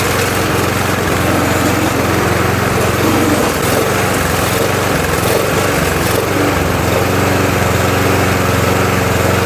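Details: Murray mower with 20-in blade, original Tecumseh engine swapped for a Briggs (stated as "brace"), after spraying intake debris: note rises and dips unevenly, unsteady hunting idle; surging, owner suspects leak or carburetor/old fuel, cause unconfirmed.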